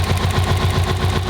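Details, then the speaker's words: Freshly built Subaru EJ207 engine in a rebuilt STI at first start, idling: fast, even, light metallic tick of about eight per second over a steady boxer idle, louder on one side; knock monitoring reads zero, valvetrain tick of unclear cause. "I've always noticed like a ticking with these engines a little tick tick tick tick tick tick tick you can probably hear that uh and it always sounds louder on this side no matter what car I build"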